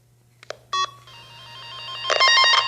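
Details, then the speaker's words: Tone tracer (Tempo 2000M type probe) on a Porsche 914, black lead to ground, red to the traced line: steady electronic tone grows louder and busier as the probe nears the target wire; circuit found. "you get near the wire that you're looking for you're gonna hear that"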